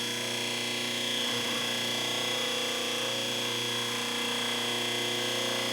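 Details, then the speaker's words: Overhauled 1 hp Delta repulsion-induction motor, 1725 rpm, wired for 110 V, new bearings, refurbished commutator, brush angle adjusted: even, steady hum with constant tone, no knocking or surging; running smoothly. "good running smooth as can be"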